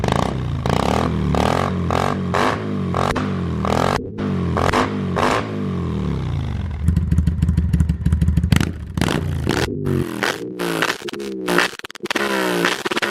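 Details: 2005 Kawasaki Vulcan 800 quick startup before sale: steady V-twin idle, then quick revs climbing and dropping back cleanly, no knock or rattle; normal idle and revs.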